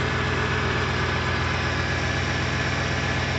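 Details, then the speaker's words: Freshly rebuilt, fully updated 2007 Ford 5.4L 3V V8 at first start, fan, shroud and air intake off, strong oil pressure; smooth even idle, steady low hum, no ticks or knocks; sounds quiet and healthy. "she lives and breathes and she sounds good sounds really quiet though sounds really quiet"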